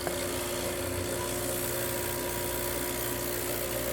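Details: Rancilio Silvia espresso machine that had zero pump pressure, after vibratory pump replacement: steady even buzz with constant hum, no sputter or surging, water flowing up and filling the boiler; pump working correctly.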